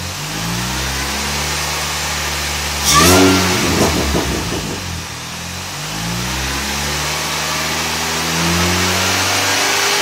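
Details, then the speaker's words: 2006 Mini Cooper S with 17% smaller supercharger pulley, 2.5in exhaust, K&N hot air intake, MGK plugs: revs rise and fall with a thin high whine climbing alongside — normal supercharger whine. "I'll try and post the camera up, see if you could hear the whine a little bit better."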